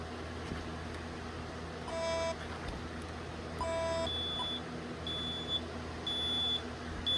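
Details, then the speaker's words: Bosch B9512G security panel with a keypad unplugged from the SDI bus; trouble sounds from the panel, not the keypad, repeated short high beeps about one per second until plugged back in: keypad supervision trouble beep. "So, that's what it supports. and cancel that because if if you unplug a keypad or something on the SDI bus, it goes into a trouble and it doesn't sound on the keypad, it sounds on the panel, which can So like if I unplug this from this and it will eventually figure out."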